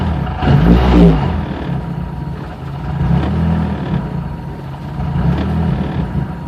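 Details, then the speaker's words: 2003 Hyundai Tiburon 2.0 Beta II on Megasquirt MS3X, GT3076R turbo at 26 psi, meth injection, 9:1 CP pistons: three quick throttle blips from idle rise cleanly and drop straight back to a steady idle, revving freely and healthily. "for the sake of this just give some blips of the throttle"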